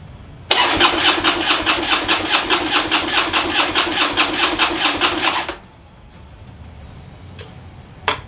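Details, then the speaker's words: Harley project bike after an overnight battery charge and a gallon of fresh gas: about five seconds of even cranking at roughly two beats a second with no firing while the fuel pump is heard running. Owner suspects no fuel delivery. "all right so i guess it's not getting fuel even though it's got gas in it and i can hear the pump running"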